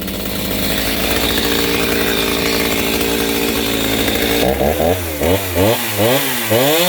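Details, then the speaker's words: Stihl MS 290 chainsaw after cleaned OEM carburettor with limiters removed and rebuild kit fitted, tuned slightly rich: held at a high steady scream, then sharp throttle blips rising and falling cleanly to idle; normal running. "But let me start this thing up and let you guys hear it. It is sounding pretty good now. I've got it tuned a little fat still yet."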